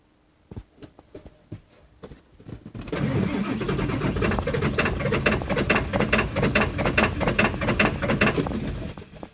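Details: 2000 F550 7.3 diesel at about 60°F, owner says it needs new injectors: a few short starter bursts, then a long rhythmic crank at about two beats a second before it fires and settles toward idle; hard start.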